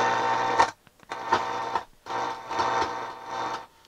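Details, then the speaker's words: Sansui G-3500 receiver on the bench for service, tuner with no antenna: radio hiss crackles and cuts out in uneven bursts as a control turns, from very dirty potentiometers. "It's very dirty pots."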